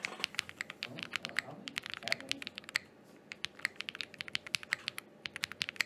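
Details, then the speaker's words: Thera75 keyboard with Zaku linear switches and GMK Laser keycaps, sound test after stabilizer troubleshooting: quick even clacks in bursts, crisp, no rattle or ping; healthy keys and stabilizers. "there you guys what there you guys go that's the sound test for the thera 75 thank you"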